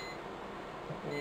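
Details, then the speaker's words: Riello DVD 2200 2U UPS: steady high-pitched electronic beep in a quiet room, a low/failing battery alarm sounding for about two weeks before battery replacement. "that's one lot as you can hear that beeping has been driving it mad now for about two weeks"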